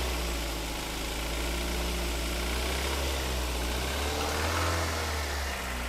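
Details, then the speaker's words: Toyota Avanza/Daihatsu Xenia from East Java, cold morning start after reported long cranking: low idle rumble with slightly uneven, lumpy beat; rough idle, cause not confirmed (cylinder head replacement mentioned, coolant loss to reservoir). "Nah kita hidupkan ya jadi suaranya emang agak agak agak kasar dikit"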